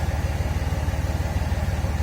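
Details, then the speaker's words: 5.9 Cummins diesel right after installing a brand-new starter, which replaced the failed one: starts easily, even clatter about fifteen pulses a second with steady beat and no misses; normal idle. "was a heck of a lot healthier i like how this one sounds too"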